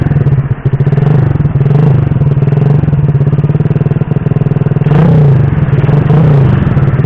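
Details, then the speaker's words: Honda Supra Fit C70-body motorcycle with carburetor changed from PE28 to PE24: revs climb, then stumble and pulse unevenly under acceleration at mid to high rpm, a choppy misfiring bark; carb setting, ignition or engine capacity mismatch suspected. "Bro, you can see that, for medium to high rpm, when we try to accelerate, there is a serious crash, well, there are other factors, Bro, not just the carburetor part, the ignition part could also have an effect"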